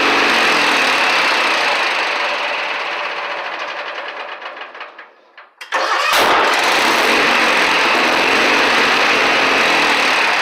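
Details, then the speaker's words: Craftsman mower, Kohler Magnum 18 engine at half throttle: runs, fades as it shuts off, then one sharp, very loud bang on restart before running steadily, eventually blowing the muffler half off; exhaust backfire on restart. "when you shut it down and start back up it's a pretty little epic backfire I'm gonna demonstrate for you"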